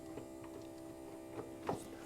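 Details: 1975 MGB with the inertia switch switched on and the key on: faint steady electric hum with a few light clicks in a quiet space; fuel pump running normally.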